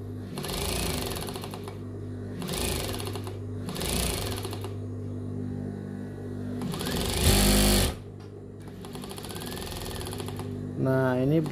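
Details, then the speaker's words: Sewing machine, feed area: a soft, fast rubbing chatter (not a hard rattle) in short bursts, from a dirty feed dog hitting the rotary hook. "Saya menemukan mesin jahit yang berisik di bagian ini, di area pengumpanan, di bagian gigi mesin jahit."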